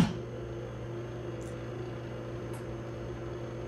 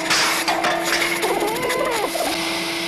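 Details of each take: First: Snapmaker 2.0 power module fan after replacement with a 24V 35x10mm hydraulic-bearing brushless fan: only a faint steady low hum, no rattle or whine, down from vacuum-cleaner loudness; normal quiet fan. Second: Snapmaker 2.0 3D printer power module stock small cooling fan: loud steady high whir around 300 Hz, about household-vacuum level; fan too noisy, replaced with quieter 35 mm 24 V hydraulic-bearing fan.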